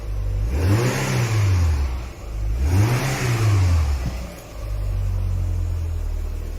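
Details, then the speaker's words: Citroen BX revved: two deep boomy rev sweeps with coarse tractor-like rumble; exhaust louder than before, cause not clear. "That exhaust sounds louder than I remember. Ooh, I'm not sure I like that. I thought it sounded quite subdued before, but that's that sounds like a tractor."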